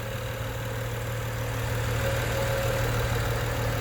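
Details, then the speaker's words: 2011 BMW 135i on a pre-purchase inspection, no engine lights on, heard at the exhaust: smooth, steady idle with no knocks, ticks or misses, and revs holding even. Healthy, quiet idle. "so you can hear the engine purrs nicely at the exhaust Oh smoke any issues like that under the hood we find it it's running nice and quietly no real issues"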